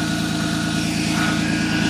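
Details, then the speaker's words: Ford Contour idling to warm up after a battery replacement, following a dead battery from outdoor winter storage: steady, even hum with a faint constant whine on top, no knocks or stumbles, normal idle. "get the contour warmed up she'll move out of here again thanks for watching"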